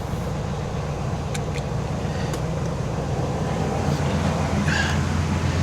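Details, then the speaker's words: 1979 Cadillac Coupe DeVille carbureted V8 after a carburetor swap: a steady, even low burble with no hunting, a healthy idle. The choke opens even without the electric choke; before the swap it would not idle. "The choke is opening even without the electric choke. So, it sounds good. It sounds really, really good."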